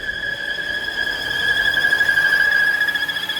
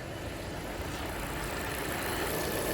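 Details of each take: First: 2017 Volvo V40 2.0 petrol at idle, revs rising on their own: steady high squeal that stops when the oil cap is released, from a faulty PCV valve with heavy crankcase suction. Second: 2017 Volvo V40 2.0 petrol engine after PCV valve and side breather valve replacement, just started: even, steady idle with soft low rumble, no squeal or hunting, only light suction at oil cap; normal idle.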